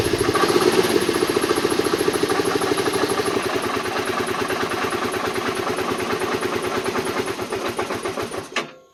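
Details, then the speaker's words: 2010 Kawasaki Teryx 750 V-twin, cold start: won't idle unless given throttle, pulses unevenly then dies; runs fine once warm after about 5 miles; new plugs, coils checked; found tight intake valve clearance. "In other words, we're having an issue with cold starts. It won't start, won't run unless I'm giving it throttle."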